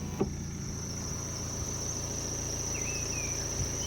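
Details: 2011 BMW 1 Series M Sport, squeal with engine running from start, stopped or driving, fading a little after journeys over 40 minutes: thin, steady high-pitched squeal constant over an even idle.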